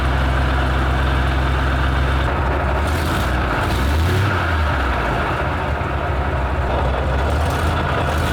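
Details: Petrol military vehicle, started with starting spray down a slot while cranking: heavy deep rumble, roughness easing as it catches and settles into a steady idle; normal idle after starting.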